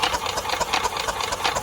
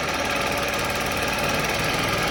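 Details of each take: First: Yamaha golf cart engine sitting 6–7 years, after flushing carburetor jet: labored, even chuffing about seven strokes a second that never speeds up; weak battery, no spark seen yet. Slow cranking from weak battery. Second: Yamaha golf cart engine, sat 6–7 years, running on very stale fuel after a jump start with choke: small engine chatters at a fast steady beat with no misses or stumbles; normal running.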